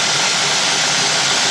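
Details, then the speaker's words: 2003 Cadillac DeVille 4.6 V8 with rough, surging idle and codes P0300, P0171, P0174, P0101, P0404: loud airy hiss over rough-running engine while carb cleaner is sprayed around the intake. Vacuum leak found. "I hear a lot of air sucking in. There it is."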